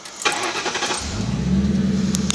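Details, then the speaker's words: 2000 Ford Crown Victoria, 258,000 miles, after replacing EGR valve, MAF sensor, TPS and air intake control valve for poor idle: brief crank, catches and settles into a steady, even idle with no stumble. "So as you can hear, it's idling. Now when I would rev it, it would actually want to fall on its face on the D-rev."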